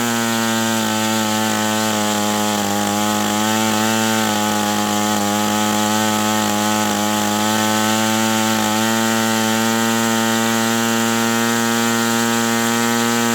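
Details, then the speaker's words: OS 120 AX model engine on break-in runs, 63°F: steady high-pitched scream at constant speed, clean and even with no sag or misfire; engine tuned pretty close. "Okay, so this is just a fantastic engine."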